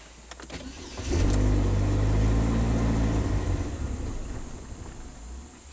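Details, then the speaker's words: 2010 Chevy HHR 2.2L Ecotec, healthy crank so timing seems okay: engine catches, runs about two seconds, then falls on its face and dies; MAF maxes at 0.49, too low for enough fuel, faulty mass airflow sensor. "so timing wise i think this engine is okay and it starts up pretty good and then it just falls on its face"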